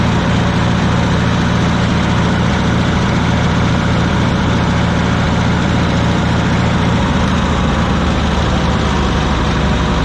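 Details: Wisconsin VH4D air-cooled engine on Bandit model 65 wood chipper, repaired after abandonment: steady even low-pitched drone, no misses, knocks or surging; starts great and runs smoothly.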